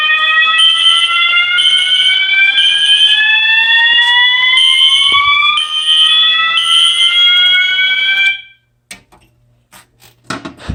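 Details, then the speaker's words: Fire alarm system test: Gamewell Sentry pull station operated, with System Sensor SpectrAlert Classic and MASS ADA notification appliances. Loud rising whoops about once a second over pulsing horn blasts, then they stop: normal alarm. "Okay, I don't know why, but that sounds so cool together."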